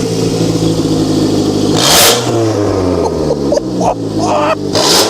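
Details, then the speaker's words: Car from DriveTribe with melted, collapsed catalytic converter, exhaust opened up and Lambda sensor unplugged: sharp blips rise and fall quickly with no bogging; engine now revs freely and runs really nicely. "God she's running really nice why do I get myself into these situation"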